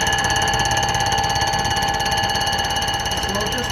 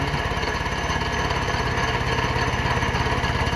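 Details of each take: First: Fly cutter on a light-duty surfacer decking a flood-damaged Honda K series open deck block during a pinned deck conversion: a steady cutter whine with rapid, even hammering about three times a second over the interrupted cut, so passes are kept light to avoid breaking an insert. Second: Honda K-series open-deck block (flood/rainwater-damaged core, believed only hot-tanked) being machined for pinned-deck conversion; insert re-dialed with a new cutting edge, very light cut. Even, rhythmic thumping about 3.5 per second over the motor, smooth and consistent: cutting clean.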